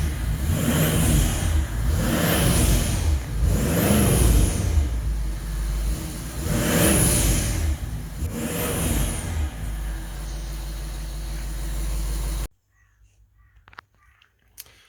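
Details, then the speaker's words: Audi Q7 4.2 V8 TDI after engine rebuild for timing chain oil pump failure: deep diesel blipped up and down several times, revs rise and fall cleanly with no knock or rattle; engine healthy. "Oh yeah! Listen to this beast."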